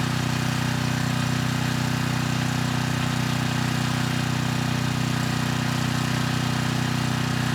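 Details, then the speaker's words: 6,000 watt Troy-Bilt generator after AVR adjustment to 119.9 volts, 3000 watt load test: even drone holding its pitch with no surging or missing, above 60 hertz at about 118.6 volts; normal running under load. "Not bad. It handled the 3000 watts without issue, staying above 60 hertz."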